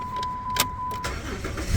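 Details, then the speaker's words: 2006 Dodge Dakota 3.7 after replacing bad ignition coil #2 (passenger bank) for P0302 misfire, shaking and blinking light, codes cleared. Engine catches quickly and settles into a steady, even idle with no miss; normal start and idle. "yep so Run's beautiful we done all right"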